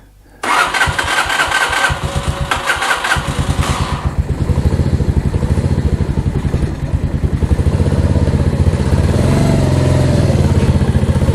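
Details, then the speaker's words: Mash Fifty motorcycle after swapping in a replacement 50 cc Lifan engine, first start with the choke on: it catches at once and settles into a steady, quick, even putter with no knocks or rattles; normal idle. "Now that sounds much better."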